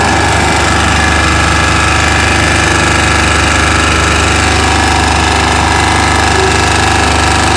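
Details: Chinese 2000-watt generator running at steady speed: hard, regular knock about three or four times a second; strange noise, cause unclear.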